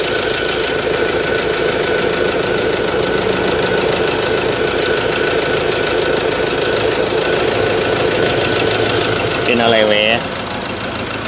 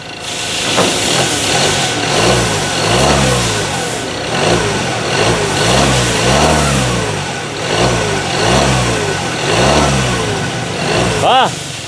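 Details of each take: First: Ford Ranger 2.2 engine shaking badly at idle even after injector work: uneven, shaky pulse with a loping beat. A scan showed a cylinder 3 injector code, with wiring or coil suspected but not yet checked. Rough idle. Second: Ford Ranger 2.2 engine that shook, with a cylinder 3 injector code (wiring or coil suspected). After adjusting the ignition setting, blips rev up and settle cleanly without shake or misfire, much steadier than before.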